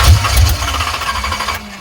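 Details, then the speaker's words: 1985 Chevrolet C10, high-compression 383 stroker small-block Chevy, TH350, first start after 10+ years on gravity-fed fuel: short lumpy low rumble that settles and fades; seems to run better with a little choke applied. "I think she likes being choked"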